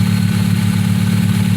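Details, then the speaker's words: 2001 Hyundai Tiburon at idle after fitting an OBX exhaust with catalytic converters cut off, O2 sensors not yet connected, radiator not yet installed: low, even burble with a steady pulse, no ticking or knocking; very quiet, healthy idle. "oh this thing's quiet really quiet"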